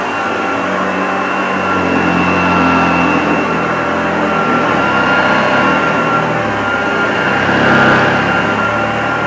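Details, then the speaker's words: Unused 1975 Hoover Junior 1346A upright vacuum cleaning carpet: steady whirring motor with light airy rush and faint brush flutter, even throughout; lovely vintage sound, healthy, slight struggle thought not the motor's fault, new genuine belts would probably help. "well I'm pretty impressed with this Hoover Junior it's got a lovely vintage sound it smells vintage doesn't smell musty"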